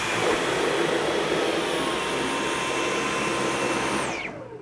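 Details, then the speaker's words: Dyson V11 cordless stick vacuum on its first use: a high, steady motor whine drops sharply in pitch about 1.5 seconds after the head reaches hardwood, as the vacuum cuts power it doesn't need there. This is normal automatic power reduction. "Okay, now I could definitely hear that. I don't know if you did, but it did slow down just a second and a half after it hit the hardwood. And like I said, that's to help save power where it's not needed to be wasted."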